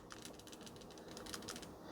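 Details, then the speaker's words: PCV valve shaken by hand to check for the cause of oil and oil vapor in the intake manifold. A light, quick plastic rattle means the internal valve moves freely and is not stuck; no rattle would mean a stuck valve. "The quickest way to check if you have a bad PCV causing the intake manifold to be filled up with oil vapor and engine oil, simply all you have to do is shake it. All you have to do is listen for a rattling noise."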